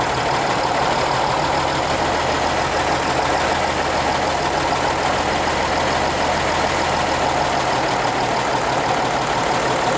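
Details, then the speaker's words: Tractor starting up: steady even low rumble with no knocks or misses; normal idle. "sounds good oh yeah"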